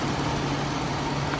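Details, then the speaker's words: 2003 Toyota Kijang LSX 1.8 L (1800 cc) petrol, heard at the engine bay at idle: steady low hum, even smooth idle, no knocks or ticks; healthy, smooth engine. "Kita ke bagian mesin, dengerin suaranya. Halus teman-teman mesinnya teman-teman,"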